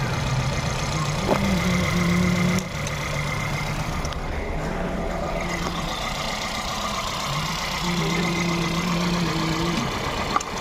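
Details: Volkswagen Polo/Vento petrol engine idling roughly with an uneven, stumbling beat from cylinder 1 misfire (code P0301, EPC and engine lights); cylinder 1 injector gets no pulse though coil gets current.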